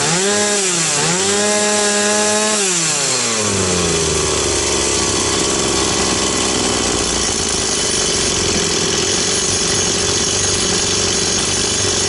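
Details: Stihl 180 chainsaw test-run after piston and crankshaft seal replacement. The revs climb and drop a few times, then it settles into a steady high scream under cutting load, running cleanly and evenly with no misses.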